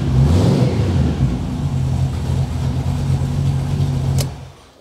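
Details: Classic MGB GT started after its cooling fan wiring was fixed: the engine pulls up and runs with a steady low drone, then shuts off cleanly. Normal, healthy running.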